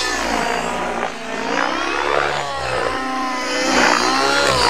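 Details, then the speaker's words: Nitro RC helicopter in flight, not fully warmed up, around 65–75°F, flown the day before: loud buzzing engine note that wavers and burbles instead of screaming clean; needle set slightly rich. "can hear the motor, I'm a little bit rich."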